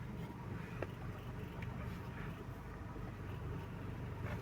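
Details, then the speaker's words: Car with noisy power steering after seal replacement, cleaning, and steering pump and rack-and-pinion overhaul, heard from inside with air conditioning on while turning: only a low, even cabin rumble, earlier drone gone; steering pump now healthy. "Okay na siya. Wala na yung ugong."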